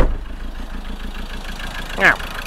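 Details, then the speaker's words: Land Rover Defender 110 with Ford 2.2 TDCi replacement engine, about 12,000 miles, running rough and smoking: uneven galloping diesel idle with a missing pulse, near-normal when revved, diesel from exhaust; one cylinder apparently dead. "it sounds like it's missing a cylinder and if you go down here yeah that's diesel coming out of the exhaust so it's died"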